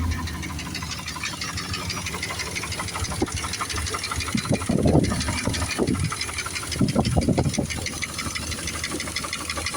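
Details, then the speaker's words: 2000 Dodge Dakota Sport 4.7 V8, cold start after sitting a long time, now hard to start: a heavy, rapid knock at a rough idle, seeming to come from both sides, worse in gear; source not yet found. "sounds like gliter almost like it's coming from both sides but it gets pretty wicked now when I put it into [Music] gear Mellows it out a little bit more when you put tension on it"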